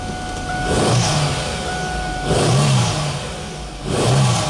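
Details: 2001 Chevy Camaro with a crank-no-start complaint, after fuel pressure was restored (about 40–50 psi, no bleed-down) and a new fuel filter fitted: three quick throttle blips, each climbing cleanly back to a steady idle; running healthy.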